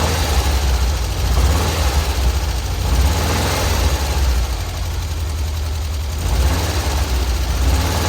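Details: VW Kombi after adjusting the belt suspected of causing a strange noise: steady even low idle pulse with no slap or squeal from the belt; engine idling normally, noise appears fixed.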